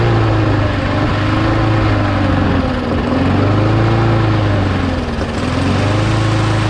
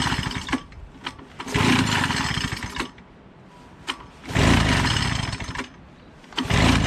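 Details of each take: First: Mower engine after parts were blown out with compressed air and refitted, primed three times: steady running with a gentle even surge in pitch, no misses or knocks; runs, though the primer still isn't priming. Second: Small mower engine, reassembled and primed three times, catches and roars in short bursts when sprayed, then dies between sprays; it runs only on spray, and the owner says the primer isn't working.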